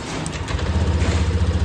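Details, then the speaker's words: Honda Scoopy/Beat FI scooter just started after DIY home service and ECU reset, previously stuttering badly: steady low putter with even firing pulses, no stumbling or misses; normal idle, no leaks at serviced parts. "Oke, ini bunyi langsamnya, Teman-teman. Dan tidak ada kendala apa-apa bocoran maupun rembesan di bagian ee kita servis tadi, Teman-teman."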